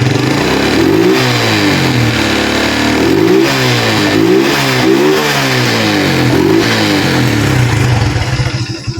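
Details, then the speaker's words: Honda Blade 125 injection, fault traced to the ECU, kick-started after repair: single-cylinder revs climb and drop cleanly in repeated blips without stumble or hesitation, then settles to idle without stalling; engine pulls and runs healthy. "motornya hidup teman-teman, tidak ada sama sekali berebut ya, jadi tarikannya itu enak. Dan juga motornya itu langsam. Pada saat tidak digas motornya tidak mati. Dan digas tidak berebut sama sekali ya."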